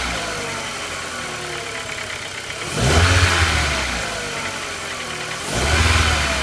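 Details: 1999.5 VW Jetta MK4 2.0: uneven, stumbling idle with a lopsided beat and two short revs that stay rough. A scan shows a cylinder 4 misfire; spark plug, plug wire or coil is suspected.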